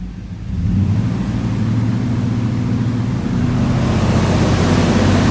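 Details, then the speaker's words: 1988 Suburban 4x4 with a V8 just broken in for 20 minutes to seat the cam: rises from low idle to a strong, even rev and holds without misses or knocks; normal revving. "I'm gonna rev the engine up so you can hear it sounds really nice we broke the engine in"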